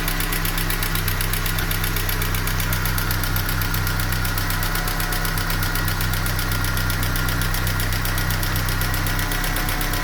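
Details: Ford Scorpio DOHC engine knock: even idle with a light, regular tapping, about four knocks a second, over the engine hum; cause unknown.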